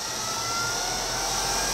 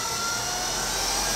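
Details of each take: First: Craigslist treadmill opened up, DC drive motor started by turning speed knob up slightly from fully counterclockwise, after usual start delay: smooth steady high-pitched whine, no grinding or ticking; normal running at low speed. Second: Treadmill motor on the bench, driven by its own control board with the speed pot turned all the way up: steady high-pitched whine with an airy rush; at full speed a safety circuit shuts it down after a moment, possibly due to a broken ground lead.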